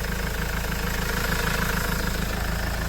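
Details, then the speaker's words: Mahindra XUV500 W10 diesel, first start after standing a long time, microphone placed near the engine: steady, even idle with a smooth low beat and no knocks or rattles; owner judges it fine, normal idle. "இதுதான் வண்டியோட engine noise. Engineers எல்லாரும் கேட்ுருப்பீங்க."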